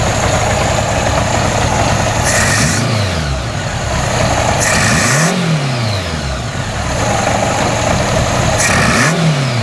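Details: VW engine with a plenum and 1-inch straight intake runners, idling roughly, its speed swinging up and dropping back every few seconds from a few pinhole vacuum leaks, before they were closed.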